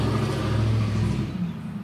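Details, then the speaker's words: 2010 Chevrolet Equinox 2.4 L four-cylinder Ecotec, P0300, coil and spark plug already replaced by customer: throttle blip stumbles unevenly with a skipping misfire; mechanic suspects a near-dead cylinder, not fuel related. "bit about being observant I think we can all hear that engine is skipping with other words I think I think I have a check"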